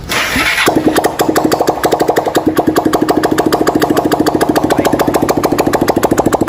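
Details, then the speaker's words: 160cc motorcycle, rebuilt engine started first time without exhaust to check for oil smoke: catches after a brief crank, then steady even single-cylinder beat about three pulses a second, no smoke; normal idle after rebuild. "Meu filho, não há fumaça nenhuma, tá? Se motor ficou zero, ó."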